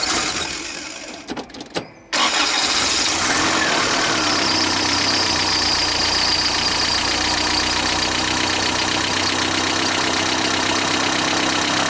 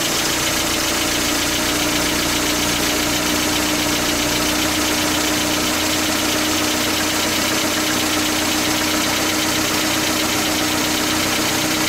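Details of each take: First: 1977 Toyota pickup, rebuilt engine whose rocker arm assembly was not replaced: after the starter catches, fast metallic tapping about four per second over idle, worn rocker arms clattering in the top end. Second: 1977 Toyota pickup, rebuilt engine after fitting a new rocker arm assembly and adjusting valve lash: steady, even idle with a quiet top end and clear carburetor hiss; the earlier metallic clanking is gone.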